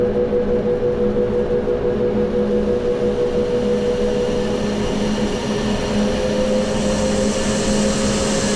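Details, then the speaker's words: Corn grain dryer fired up again after troubles, heat on: a loud, steady fan roar with a constant low hum and even burner rush, no rattles or surging; running normally. "Well I wasn't here today but can you hear that beautiful sound? That is what we've been waiting for."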